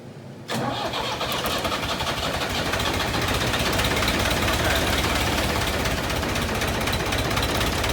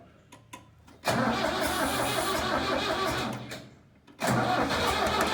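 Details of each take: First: Diesel tractor abandoned three years, after fuel line and pump work with fuel reaching three of four injectors: cranks, catches within a second and settles into steady even clatter; runs normally after start. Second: Diesel tractor abandoned three years in a meadow, old battery, fuel line and fuel pump issues: two long cranking bursts with even starter churn, never fires; fuel starvation suspected, fuel possibly evaporated or leaked out.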